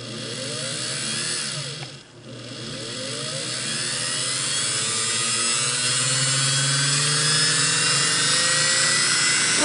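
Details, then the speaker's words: Singer Model 404 sewing machine motor after cleaning, degreasing and fresh oil and grease, run in bobbin winding mode: smooth whine climbs steadily to high speed with no scraping, knocking or hesitation; normal motor run. "take off speed okay that sounded good"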